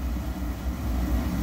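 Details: Oil burner, about 26 years old, on a Utica boiler fed from an old 550-gallon underground tank; a suspected suction leak draws air into the fuel line. The low roar surges and pulses unevenly, getting worse as air comes in.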